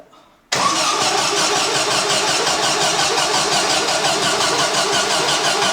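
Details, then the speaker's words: Classic air-cooled VW split-screen camper van engine on its first crank after rocker cover refit, carb not yet set up: fires first go and holds a steady, even beat with busy clatter, no misses or oil leak; healthy start and idle. "yes look at that first go engine is running not leaking oil which is fantastic"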